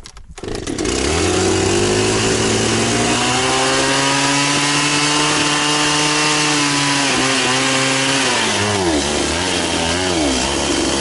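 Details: Very high-hour Echo CS-670 chainsaw, fixed up, cutting a tree chunk with a chain slower than full chisel: revs to a high steady scream, holds pitch through the cut with slight bogging; runs clean and strong.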